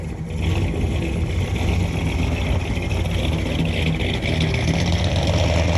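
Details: 1963 Ford Galaxie 500, dual-carb 390 V8 with manual gearbox, test drive after a leaking carb float with a bad solder hole was fixed: deep rumble pulls cleanly under way over road noise, no stumble or flat spot on load; runs healthy.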